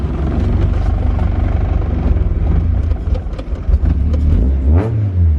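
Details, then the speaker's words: Honda CRX with budget K-swap and new fabricated full 3in exhaust, first start: deep throaty note rising and falling with quick throttle blips, quiet at idle but deeply loud, no knocks or rattles; healthy. "really quiet at idle, but it is massively, deeply loud, if that makes any sense."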